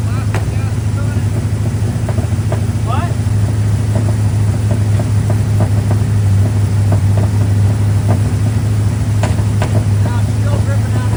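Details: Square body single-cab Chevy truck with a small block 350 V8, back running after six months following a starter-stud repair, firing-order rewire and timing set. It holds a steady, low, even idle with only a few faint light ticks, running cleanly.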